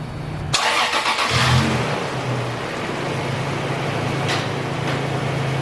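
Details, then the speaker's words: Supercharged Toyota Tacoma TRD with new 160° thermostat, first start-up after supercharger install: short crank, fires at once, brief flare, then smooth even idle with steady low hum while warming to operating temperature; normal start-up and idle. "after the excitement of that initial startup I let the engine just sit and idle and get up to operating temperature"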